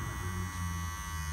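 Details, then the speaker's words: Senior cordless hair clipper running on low with a loud buzz and harsh rattle because the blade is adjusted very close for a tight shave and touches the comb; the noise drops when the lever is raised. "a gente acaba regulando deixando ela bem nele para ter aquele corte raspadinho com isso ela fica tocando no pente tocando aqui nesse frente esse barulho fica pior"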